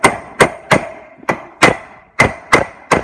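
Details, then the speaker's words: Boat trailer hub bearing change: eight sharp hammer blows about a second apart driving the larger rear bearing race, ringing clear and solid once bottomed; race fully seated in the hub. "You will hear it, it will sound a little bit solid when it's hit the bottom."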